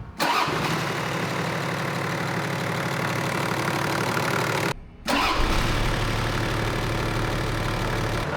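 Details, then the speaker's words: 80 Series Land Cruiser diesel, rebuilt after piston failure, now with a new timing belt and water pump, valve adjustment and fuel pump tuning: catches quickly into a smooth idle with no valvetrain tapping, much quieter than before. "Sounds good. The car is much quieter than it was before."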